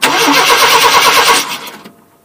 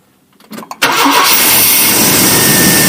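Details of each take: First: 1988 Chevrolet Silverado half-ton 2WD, crank no-start, spark tester on the coil wire: the starter spins the engine with an even, fast chug for about a second and a half but it never fires. Ignition module or pickup failure suspected. No spark. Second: 1988 Chevy Silverado half-ton towed in for crank no-start, after installing a used ignition module: brief crank then immediate catch into steady even run with no misses; normal start and idle.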